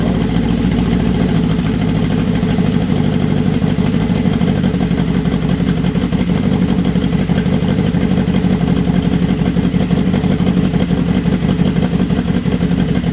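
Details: 1979 Suzuki GS750 four-cylinder with rebuilt carbs, cold on full choke at first start after over a year: a steady, even low rumble with no misses, knocks or hunting, a normal choke idle.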